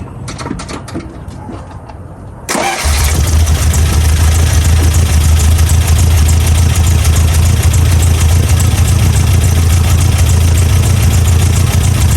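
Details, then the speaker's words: 1987 Toyota pickup 22R four-cylinder, carbureted, after fixing vacuum leaks, replacing the fuel pump and adjusting timing: brief crank, quick catch, then a steady deep idle with even pulses from all four cylinders; timing correct, idle set just about right. "well she is running much better so she's definitely running on all four cylinders again the timing's correct the idle is set just about perfect"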